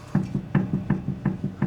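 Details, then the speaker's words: Ferrari Dino 308 GT4 front wheel off during brake inspection: sharp hollow clunks about five a second, alternating strong and soft as the wheel/caliper is rocked by hand; worn-out inner tie rod. "See that? Hear that? That is a worn out inner tie rod."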